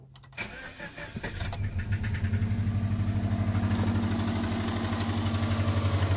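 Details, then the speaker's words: Subaru Legacy/Outback with EJ20X engine after losing power on the road: engine cranks, starts and idles with a heavy deep knock about four times a second, engine shaking hard; owner suspects rod knock or spun bearing. "definitely a rod knock I got much that's shaking that motor not my camera shaking that's what motor shakin"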